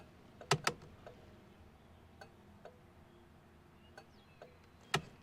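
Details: 1988 Chevrolet Monte Carlo SS sitting since the 1990s, cabin test: faint paired clicks roughly 1.5 seconds or more apart; slow turn signal flasher.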